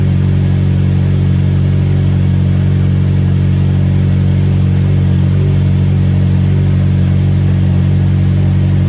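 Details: Ford Mondeo started after replacing a cracked spark plug and refitting the plug leads: catches and runs with steady, even low drone, no misfire stumble or ticking; healthy and smooth.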